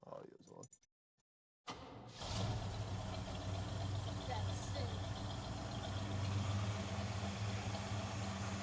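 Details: El Camino with EFI, just after replacing the trashed crankshaft pulley, alternator, radiator hoses and refilling antifreeze, cold start: silence, then the engine catches into a steady even idle with a smooth low hum; running healthy.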